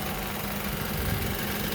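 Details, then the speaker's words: Honda Element idling, worn belt tensioner on the engine side, noise worse when the compressor comes on: loud steady droning vibration with a coarse buzzy clacking edge; confirmed by feeling the vibration and pressing the tensioner with a pry bar. "Now it's like vibrating really bad. Get that clacking noise, and then"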